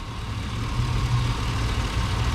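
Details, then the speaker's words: Chevy Silverado 1500 work truck: steady low rumble with even idle beat, no knocking or banging; engine idling smoothly and healthy. "It's a great truck. The engine is great. No knocking, no loud banging."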